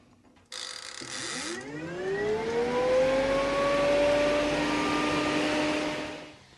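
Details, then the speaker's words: Car radiator fan used as 12V off-grid bathroom exhaust fan on a spring timer switch: smooth whir climbs in pitch, holds steady, then cuts off cleanly as the timer ends; fan and timer work properly. "There she shut off. And I'm all the way back to the cabin now. That's the way it should be."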